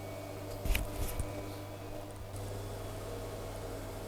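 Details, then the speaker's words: Zanussi Jetsystem+ ZWJ14591W 8kg 1400 washing machine after drum bearing replacement, about 3 minutes into the cycle and speeding up. After a couple of early bumps, a low, smooth, even hum with no rumble or grind: bearings healthy, normal spin. "that's lovely and smooth all right I don't think there's much more to say this machine's working just fine"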